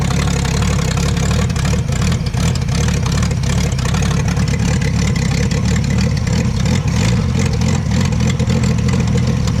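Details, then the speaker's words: Abandoned 1966 Ford Mustang, with new ignition parts, running on its own; the coil had been installed backwards. Deep, even rumble at a steady idle without stumbles or ticking, though background noise blurs detail. "running all by herself that's that carburetor boy"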